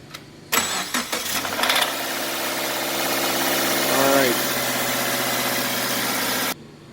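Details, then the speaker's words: Subaru (XV/Impreza/Forester/Outback type) cold start after sitting a few hours: brief metallic rattle fading within a second or two into steady idle, from a bad timing chain tensioner. "all right you guys heard that noise okay it's doing that every time the car sits for a couple hours normally if it sits overnight it's probably another half a second longer"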